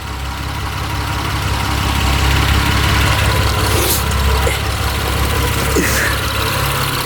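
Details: Mitsubishi Eclipse 6G75 V6 just reassembled after a timing belt job for tapping, warming up: low, even idle with no tapping or knock, no oil leaks seen. Healthy idle.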